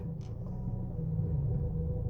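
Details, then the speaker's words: Chevy Cruze idling in gear: low uneven rumble with irregular thumps as the engine misfires and the car shakes hard; the misfire is much milder in neutral. "See, you can see how the car is misfiring or jerk. Totally the car is shaking."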